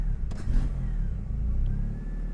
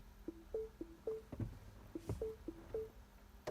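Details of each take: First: Mini Cooper with swapped DSM 4g63 engine and AWD, first test drive on a partial tune with spark advance locked at five degrees, after lean-then-rich stumbles on throttle: engine now pulls smoothly through the revs with no sputtering or popping. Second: 4G63 DSM-swapped AWD Mini Cooper, first start attempt, untuned: door chimes, then the starter spins and the engine sputters without catching; owner suspects an electrical issue and checks voltage; cranks but won't start.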